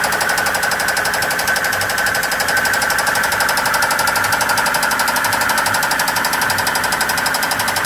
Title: Blown 5.0 Volvo marine Rod knock